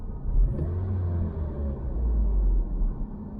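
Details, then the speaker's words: Vauxhall Vectra after the exhaust flexi was welded into place and the joint redone: deep, even low rumble and smooth exhaust note, no puffing or ticking; exhaust sealed and sounding much better. "oh yeah it sounds much better"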